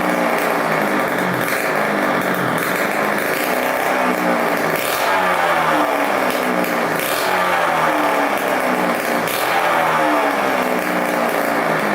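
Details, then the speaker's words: 1987 Kawasaki KX125 two-stroke after fixing a fuel leak, run without its expansion pipe: loud raspy steady fast idle, firing evenly, smoking the right amount, not lean, no leaks; runs healthy. "sounds pretty good still no leaking so that's awesome sounds pretty decent without the pipe very loud but it's smoking the right amount doesn't sound too lean or anything"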